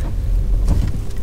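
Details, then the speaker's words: Ford Focus 1.0 litre EcoBoost on a test drive, braking after cruising in fifth gear at 1,000 rpm; only low tyre and road rumble, no squeal, scrape or grinding; normal braking. "Braking fine. No squeaks, no noises, anything like that."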